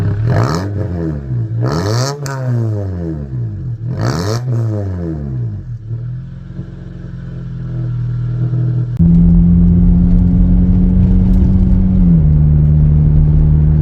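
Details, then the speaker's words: Honda Accord after muffler delete: three quick throttle blips with a deep raspy boom, then a loud droning idle; loud exhaust from muffler delete. "A muffler delete, it sounds so terrible on phone, but in real life it doesn't even sound that terrible."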